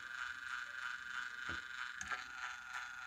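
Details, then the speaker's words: Geared torque motor of a motorised display turntable making a loud steady high-pitched gear whine with light ticking about three times a second; gears rotate properly but the motor shaft sits too far from the gear, fixed by moving the shaft toward the gear until the noise stops. "hello everyone let's try to solve the problem of this geared motor which is making lot of noise as you can hear"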